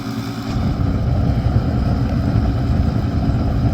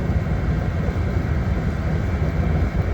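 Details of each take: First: Master radiant heater running on kerosene: steady, low, rough rumble with no clear knock or whine; kicks on, runs a second and shuts off as if flame not detected; owner unsure if the pump or something else; cause undetermined. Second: Master radiant heater, labelled kerosene-only, running on diesel on first try after sitting dry: even, low steady roar with no surging or sputtering; normal running.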